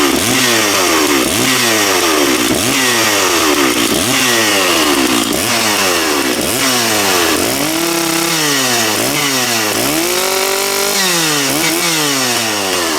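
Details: Stihl MS660 chainsaw after clutch repair, cutting a log (probably ash), chain fairly sharp: screaming at full throttle, pitch sagging and recovering with each cut, no rattle or slipping; strong power, normal cutting.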